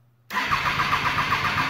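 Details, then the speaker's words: 2008 Triumph Daytona 675, wrecked bike being rebuilt, first start with throttle cables just connected: a sudden loud crack as the engine catches, then a fast rough idle with popping, a backfire from too much fuel in the exhaust. "Oh my god, a little too much fuel in the exhaust. Fuck, dude. backfired like a son of a bitch."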